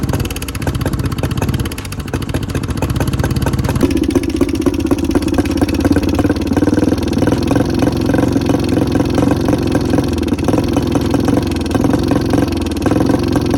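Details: 2014 Honda CRF125F, rebuilt by the previous owner and never ran right, before repair: rough, uneven single-cylinder idle with a loud pecking tick, no power and heavy smoke; cam chain timing is out.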